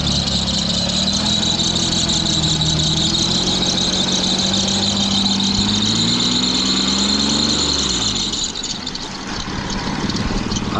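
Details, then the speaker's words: 2008 Audi Q7 3.6 after coil pack replacement and oil change, at startup: loud wavering squeal over the engine right after it fires, then drops away; sounds like a belt, cause unconfirmed. "don't know about that one. [Music] It sound like it's coming from a belt."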